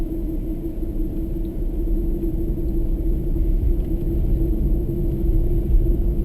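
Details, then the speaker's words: New Toyota Prius in Japan on snow tyres, cruising: steady low road rumble with a constant whining drone from the soft-compound snow tyres, noisier than standard tyres but normal. "Soft compound rubber, I guess, probably what makes them noisy, but they're noisier than standard tyres. That whining sound you can hear is the snow tyres."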